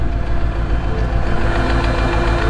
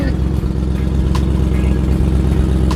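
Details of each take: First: 2003 Mercedes-Benz SL55 AMG V8 after engine failure, white smoke and oil-fuel mixture: deep, steady rod knock at idle, several beats a second, under a rough rumble. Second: 2003 Mercedes-Benz SL55 AMG V8 with brand new engine and race headers, hot start: deep, even, steady idle burble with no knocks or misses; normal hot idle.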